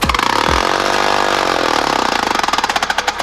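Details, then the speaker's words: 3D-printed 4-stroke compressed-air engine on a 60 psi repeat run with less bleed-down: rapid even puffing climbs to a fast buzz, then slows as pulses spread out; nearly 3000 rpm at the crank; the cylinder head broke at this speed. "yo that was almost 3 000 rpm at the crank that's insane"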